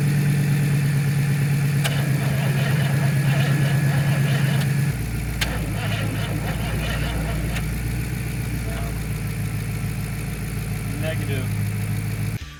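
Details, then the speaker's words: 1968 Camaro 327 V8 (30 over, ~331, has compression) sitting 15+ years, timing near 12 degrees, borrowed battery; laboured crank ~3 pulses a second, no start; suspected drained battery or too much advance, jump planned. "sounds pretty drained to be it's either fighting a whole lot of Advance or it's real tired"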